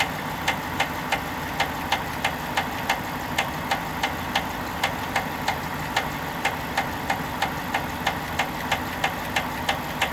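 Sharp, regular knock about three times a second over a steady idle; a clear engine knock, source not pinned down.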